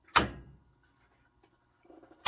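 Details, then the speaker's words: 4-pole DIN-rail contactor with 120 VAC coil, switching 240 VAC gear in a Harris transmitter rack, amp not yet connected, switched on then off: two crisp clicks about two seconds apart; contactor pulls in and drops out cleanly. "So you can hear it click, and you can also kind of see the flash."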